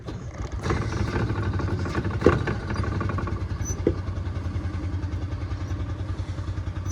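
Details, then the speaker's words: Small 46cc petrol engine on a water trash pump at auction: uneven low chugging that never settles to clean idle; hard starting, possibly flooded. "come on oh I might have just flooded it"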